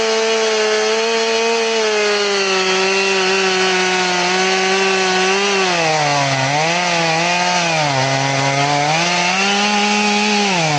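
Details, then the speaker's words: Chainsaw with its chain filed to 10 degrees, crosscutting: a high, steady howl that sags and recovers as it bites. It throws okay-sized chunks but bogs like a dull saw, possibly because it is a full-chisel chain. "Throwing some okay sized chunks, but it's just, it cuts like a dull saw."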